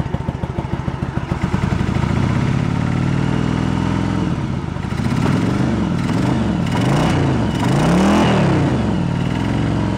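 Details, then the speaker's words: 1986 Yamaha Virago 1100 V-twin, sat about 6-7 years with fuel in it, no choke: uneven lumpy beat swelling with throttle blips, running on rear cylinder only; front cylinder dead, fuel found present in its float bowl. "I got nothing on that front. I gotta look into it. So why we got nothing on the front?"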